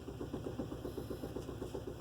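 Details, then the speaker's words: 2016 Buick LaCrosse cranks but won't start: starter turns in even pulses about seven a second with no catch, then stops; lights and radio work, fuel present, check engine light comes on; owner rules out the battery. "Tries the crank. Stops. Has fuel. Check engine light is now on."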